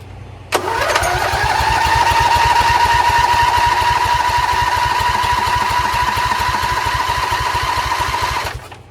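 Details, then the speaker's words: Briggs Intek V-twin on a homemade Craftsman LT1000, refitted after a homemade sump gasket repair: the starter cranks steadily, about three beats a second with a whirring whine, and never catches because the fuel pump was not connected. No oil was in the engine yet. "Wait a minute, I don't think I connected the fuel pump."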